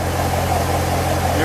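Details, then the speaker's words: Corvette C7 V8 at full operating temperature after water pump replacement, coolant reservoir level good, no leaks: smooth, even idle with steady low rumble, no knocks or squeals; engine sounds healthy, normal idle. "No leaks, which is always a positive thing after you mess with the water pump. Everything sounds good. I think we're done."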